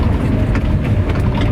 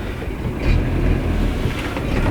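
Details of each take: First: Renault Trafic with swapped-in C1J engine idles low at about 600 rpm per the rev counter, with a low, uneven, slightly lumpy rumble close to stalling; quieter than before the swap, but the idle is too low. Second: Renault Trafic after a swap to a new C1J engine, heard from an onboard camera on a test drive: a smooth, low, even drone with wind and road rumble and no knocks or rattles. Quieter than before the swap, idle around 600 rpm; normal running.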